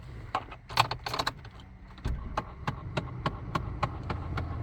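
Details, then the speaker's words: 2008 Chevy Impala: sharp repeated clicking about three taps a second from behind the dash on the passenger side, a failing blend door actuator, over low engine and fan hum. "So on this 2008 Chevy Impala, it have a blender actuator issue. So I'm going to let you guys hear the sound, what it make."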